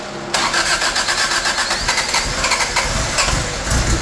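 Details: 1985 Toyota Tercel after engine work, with spark and fuel confirmed and the distributor moved fully back: engine catches after a short crank and settles into a fairly steady idle with an even beat; running fine now.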